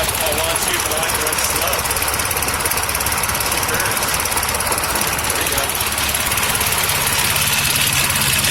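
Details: Toro 6.5 hp lawnmower with a cheap aftermarket Tecumseh-replacement carburetor and a new spark plug: the small engine holds a steady, even roar with no surging, misfire or hunting. Running normally after the carb swap.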